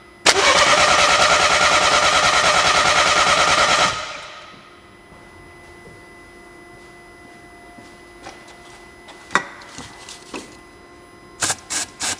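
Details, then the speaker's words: 2012 BMW 1 Series crank-no-start after a dealership and an independent shop failed to fix it: spark present, no high fuel pressure, alternative fuel fed into the intake. Four seconds of even cranking, about three turns a second, never fires; cam timing incorrect. "I'm going to introduce Fuel and if the fuel pressure is the only problem then the engine will attempt to run"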